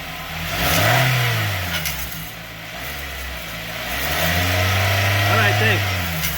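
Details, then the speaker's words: Car under light acceleration: a metallic buzzing rattle from underneath that swells with revs, caused by a loose muffler heat shield whose securing clamp has been broken for about two years. "this is a muffler piece here that goes to the engine here to quiet it down and here is the piece right here we're supposed to hold this together I don't think it's absolutely necessary but as you can see it's making the noise and let me show you where it's broken"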